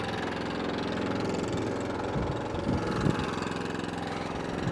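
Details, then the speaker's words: Atco Balmoral 14SK mower, Kawasaki single-cylinder engine, chugging steadily with brief load change, no knocking or misfire; runs and drives normally, cutting cylinder only needs slight adjustment. "I can adjust that but drive works lovely it runs it drives"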